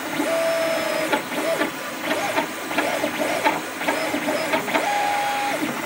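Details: Creatr HS 3D printer during printing: stepper-motor tones rising and shifting between moves with irregular rattly bursts; strange noise, cause not obvious; print bed also not level.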